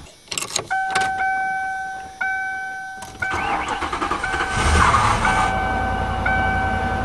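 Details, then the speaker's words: 1997 Lincoln Continental, cold start: cranks, catches, then idles with a repeating pulsing miss from one cylinder not firing; coil pack suspected first; wire, plug or compression still possible. "alrighty it's running exactly the same as yesterday yeah you can hear that pulsing miss"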